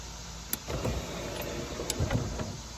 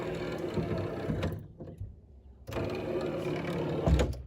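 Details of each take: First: C4 Corvette pop-up headlight motors after battery reconnected: quick clunk then a couple seconds of even electric whirring as both headlights rotate up smoothly, no grinding; normal operation. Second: C4 Corvette passenger-side pop-up headlight motor bench-powered directly with reversed polarity: two short, slightly rough, strained whirring bursts; motor works but sounds more worn than driver side.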